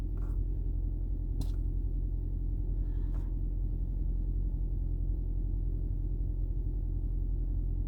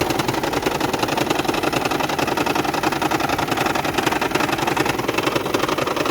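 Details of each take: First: 2010 Toyota Prius hybrid that had been rattling, shaking and misfiring with no DTCs, after replacing the EGR valve with a new genuine part; low, even rumble holding steady with a couple of light clicks; idling smoothly. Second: 2010 Toyota Prius hybrid engine rattling, shaking and misfiring with no stored codes: uneven, rattly idle with rough pulsing around 160 a minute; EGR valve plunger found stuck open, not sealing its seat.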